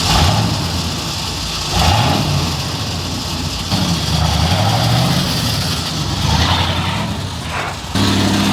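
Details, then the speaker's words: 1986 Ford F250 just after ZF5 manual swap, idling and driving. Rough, gravelly grinding stays steady with speed. Owner suspects the starter solenoid stuck so the starter rides the flywheel, or a wrong AOD backing plate. Not confirmed. "I think the solenoid got stuck, so I think it's just riding the gear right now. But that's an easy fix. It definitely sounds bad though, but it's not as bad as it sounds."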